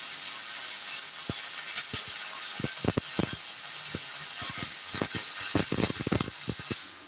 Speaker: you hear that sound that's money when you hear that consistent buzzing sound you know you get into the bag right now